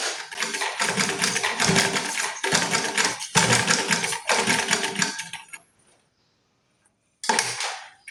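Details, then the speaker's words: Merritt small sewing machine, brought in because it was too loud since purchase, sewing on its stand after being taken apart and serviced: short runs of quick, even stitching chatter with clean stops and no knocking. Now smooth, with only new-machine sound. "சூப்பரா தச்சது. எந்த பிரச்சனை இல்லை சவுண்டும் நல்லா ஸ்மூத்தாவே போச்சு. Sound எதுவும் வரல. புது machine என்ன எது வருதோ அந்த சவுண்ட் மட்டும்தான் இருந்தது."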